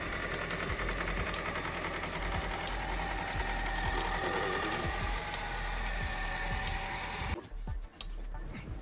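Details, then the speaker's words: 2007 Honda Civic with 233,410 miles: engine runs rough and uneven with irregular low thumps from a bad misfire, tailpipe shaking, little power, then a sudden cut near the end. "the car started very well but you can hear it is running very rough it's misfiring really bad"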